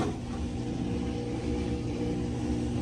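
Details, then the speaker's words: Whirlpool WTW5100HW0 washer spinning evenly with a steady hum and faint whine, no belt slipping or chirp, after belt and splutch kit replacement; a slight creak remains. "Still got a little wine to it, but not a like the belt slipping. Look at that girl go spinning nice and beautiful."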